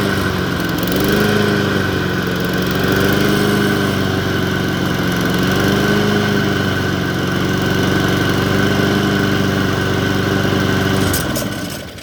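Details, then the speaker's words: Lawn mower stored 2 to 4 months over winter, started after 10 to 15 tries, runs unevenly, surging and sagging every couple of seconds; old gas suspected. "But the way you just heard it, boom, boom, boom, you know, it has a little bit of old gas in there. It's not ideal."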